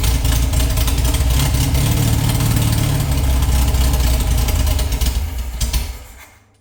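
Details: Air-cooled VW flat-four rebuilt from a pile of parts, unknown when last run, float bowls filled by hand: lumpy, uneven beat near 220 pulses a minute that sags and stalls; oil in cylinders burning off with lots of smoke.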